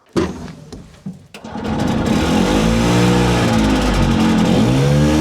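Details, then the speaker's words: 1970 Willam Fourgonnette micro van with a 125 two-stroke, revived after 20 years: it fires after being flooded (plug gap too tight), then climbs to a high, steady buzz that won't settle. A sticking throttle; the brakes also don't work. "So we seem to have a reliably running engine, no brakes whatsoever, and a sticking throttle. So that sounds like a fun combination, doesn't it?"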